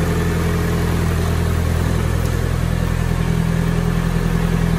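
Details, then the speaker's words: Nissan 240SX S13 SR20 after first start in a long time, seized injectors freed, open vacuum sources plugged, full exhaust: steady even low idle, smooth unbroken drone without misses or ticks; normal idle. "once we got it started and plugged up all the open vacuum sources it ran like perfect like it I haven't heard a better running SR I don't think ever it's probably the smoothest one I've heard thus far"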